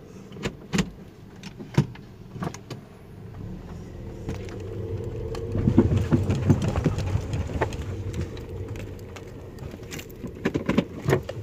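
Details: 2014 Toyota Vios (Yaris) with a customer complaint of dull kluk-kluk knocks from the front wheels and under the car over speed bumps, gravel and rough roads, above a low engine rumble; front suspension clunk.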